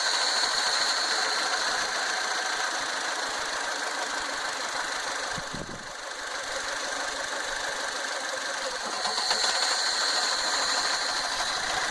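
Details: 2009 Fiat Panda 1.1 petrol idling unevenly, stumbling about three pulses a second: a misfire from a broken wire at the ECU connector caused by the loom flexing. Fixed by soldering in new wire.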